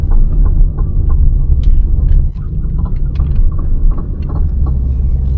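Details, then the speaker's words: Honda/Acura, earlier diagnosed with bad CV axles for a clicking when turning: irregular dull clunks and knocks over bumps with no clear rhythm; sway bar links or control arm bushings are suspected rather than the axles. "So you hear the same thing going over bumps. There's really not enough rhythm to that sound to make me think it's CV axles."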